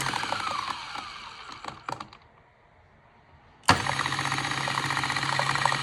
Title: Mahlkönig X64 SD strange noise